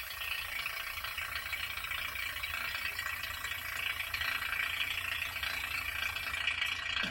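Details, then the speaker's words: 1940 Frigidaire refrigerator after a compressor change, started on a partial refrigerant charge (under half a can, positive pressure); constant tinny rattle with no steady hum, compressor rough at startup while pressures equalize. "not sounding the best. Taking a minute to kind of equalize pressures and sounding a lot"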